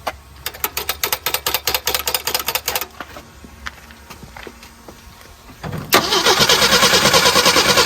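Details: 1975 Jeep CJ5 not run in over 20 years: starter churns about three turns a second, pauses, cranks again, engine never catches; suspected flooding or coil, not confirmed.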